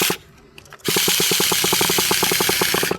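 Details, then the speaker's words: Used Traxxas T-Maxx 3.3 nitro RC truck on its first run: loud hissing starter whir with uneven rapid chatter as the replacement one-way bearing starts slipping again. "That one-way bearing I can hear it starting to slip again."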